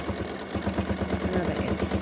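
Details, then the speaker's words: Free-motion quilting on a sewing machine (Superior needles, Wonderfil thread) at the right speed: a quick, even stitching beat of about eleven pulses a second over a soft, calming hum, with no knocks or grinding. Normal, smooth running. "can you hear that nice humming beat that my machine has that's the noise you want to listen for it's a really calming noise"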